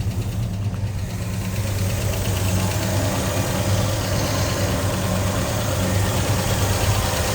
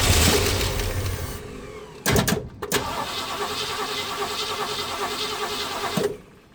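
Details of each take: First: 1965 Ford Mustang 289 V8 barn find, parked 29 years, running on fuel primed in the carb: steady even idle with smooth rumble, clean rev rise and return, no misfire or knock; runs like a top. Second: 1965 Ford Mustang 289 V8 barn find, parked 29 years, carb primed through a funnel: catches and runs unevenly about four seconds then dies; fuel spills around the top plate, carburetor not taking fuel.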